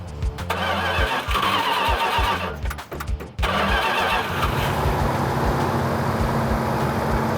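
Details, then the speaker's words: Restored Plymouth Cuda V8 after work for a vacuum leak, running in at about 2,000 rpm to operating temperature: cranks, catches and settles into a steady, even idle without ticking or stumbling; runs normally, vacuum leak apparently gone. "It sounds like it's running a whole lot better. Sounds like we might have got rid of our vacuum leak, so we're just gonna run it up to operating temperature, about 2,000 RPM."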